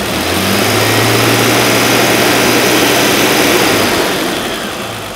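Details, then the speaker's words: 1980 Mercedes W126 280SE Euro with the M110 inline six, idling outside on a chilly day with a quieted exhaust. Steady, even, smooth idle with a low hum and no knocks or misses. Owner suspects a small warm-up regulator issue. Normal idle. "also look at how well the engines running I mean I got to admit there's still some things I've got to do to this engine"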